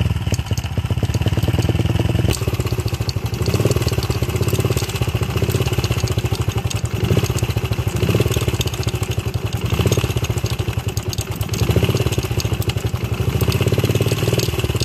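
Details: Honda XR70 with top end previously reassembled wrong by a prior owner: single cylinder runs rough, hard to start, won't idle, poor throttle response, low power, loud clattery top-end rattle; incorrect cam timing and worn cam chain roller.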